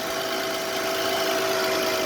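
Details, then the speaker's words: Mercedes-Benz W124 300CE-24, warming up after the pump switched off and the exhaust begins to heat: even steady hiss, faint constant hum, no knocks or misses; smooth normal warm-up idle. "exhaust is still starting to warm up now wow yep it's getting warm now"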